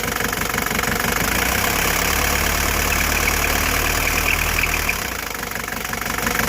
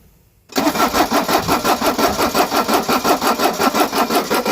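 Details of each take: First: 1983 Mercedes-Benz 240D diesel, just jump-started on a cold day after sitting 5 years, with no adjustments made: a steady, even clatter at about four knocks a second with no misses or hunting. It is a healthy idle. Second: Mercedes 240D diesel that sat for years, cold at about the mid-40s °F, with fresh oil and a drained tank; the glow plug box doesn't click, and it cranks evenly at about three beats a second but won't fire; the primer pump is also suspected.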